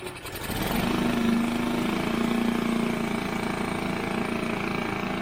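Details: Mercury 5 hp four-stroke outboard, barn find in long storage, first start by pull cord: picks up and holds a steady buzzing run with a constant mid tone, no obvious knock or miss; water seen from tell-tale.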